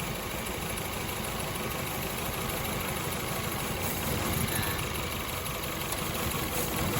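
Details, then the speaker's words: Petrol car idling roughly, shaking, hesitant on acceleration; coils replaced on 3 cylinders and spark plugs replaced without cure; coil-unplug test shows cylinder 3 dead, its new coil sparking; lumpy uneven idle. Dead cylinder misfire. "จะสังเกตได้เห็นได้ว่ารถมีอาการสั่นนะครับเดินเดินไม่คสุด"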